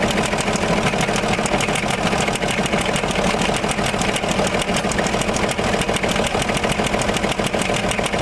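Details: Land Rover Discovery 3 2.7 diesel at idle, mileage believed to be about 280,000 km, eni i-Sint 5W-30 oil: a hard, regular knock about three a second hammers through and grows as the bearing shells spin; rod knock.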